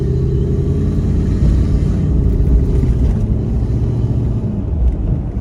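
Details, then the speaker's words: Jeep WJ Grand Cherokee 4.7 V8 on a road test with a shorter serpentine belt fitted to stop the worn AC compressor pulley bearing squealing: a steady low engine and road rumble with no squeal or chirp. Normal running. "We just haven't got the horrific squealing. We'll take it out on a road test now and see what it's like."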